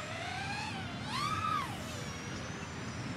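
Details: Diatone GT-R349 3-inch micro racing drone on a 3S battery with stock PIDs, in flight: a clean motor whine rising and falling smoothly with throttle, no obvious prop vibrations.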